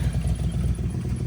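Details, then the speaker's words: Budget turbo Miata idling very low while warming up. A lumpy idle with an uneven puffing pulse under the rumble comes from an exhaust leak whose location is still unfound. "they definitely have an exhaust League somewhere still which is incredible he's idling really low just let him warm up for a minute God damn that exhaust league is so bad"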